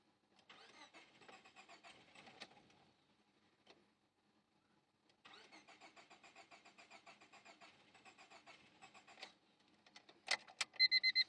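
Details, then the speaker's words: 1999 Honda Civic D16Y7, jumped from a truck, fuel pump relay clicks on, no check engine light, tach doesn't move: two long bouts of even cranking about three beats a second, never fires; crank no start despite swapped distributor, new cap, ICM. "Alright, I'm gonna try and crank it, and you'll see the tach will not move. And it sounds like it almost wants to start."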